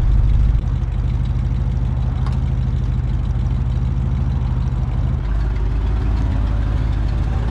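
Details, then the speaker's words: 1968 Ford F100 "Ole Puddin" cold start in cold Georgia weather: idles low and lumpy with uneven loping beat, about three pulses a second; owner suspects he adjusted the carburetor out too far the day before. "i played around with a carburetor yesterday y'all think might have adjusted the carburetor out a little bit too much there she is folks"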